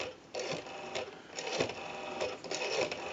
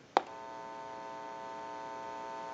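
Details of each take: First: ITT 554 rotary wall telephone after repair: quick bursts of dial clicks in groups, then a steady two-tone busy signal from calling a busy number; the rotary dial is pulsing out cleanly. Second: ITT 554 rotary wall telephone after repair, tested with an amplifier: a click as the button is pushed, then a steady low even buzzing hum that holds unchanged; the open amplifier pickup is picking up interference.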